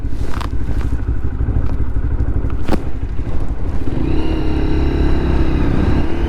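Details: Lexmoto LXR 125 riding at about 1,000 miles, after a modification: an even single-cylinder exhaust drone rises with revs. The earlier rattle echoing through the exhaust is gone, so it runs clean.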